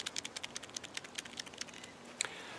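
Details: Land Rover 110 Defender alternator bearing, old one replaced during a shop repair along with the rectifier pack and regulator brushes: turned by hand it gives a dry, gritty crackle of uneven ticks with no smooth spin; run out of grease.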